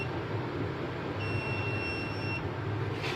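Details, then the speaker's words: UPS kit with overload set to 700 W, 100 W bulb removed leaving three 200 W bulbs: one clear high buzzer beep just over a second over a low hum, then a faint click; the unit switches on within about 5 seconds. "ये आवाज़ आ रही होगी बजर की। 5 सेकंड में हो जाता है ये ऑन।"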